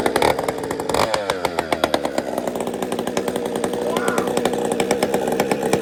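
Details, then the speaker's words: Chainsaw just started after priming with a squirt of fuel: idles with an uneven, lumpy burble and stutters before clearing on throttle; low jet set a little rich. "It's a little fat on the low jet."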